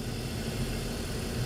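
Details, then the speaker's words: 2005 BMW 325i with cylinder 2 misfire (P0300), after replacing the ignition coil: steady even idle with smooth low hum, no stumble or skip; misfire gone, waveform much better. "Okay, so no MISFIRE felt, and we're gonna take a look at our brand new waveform."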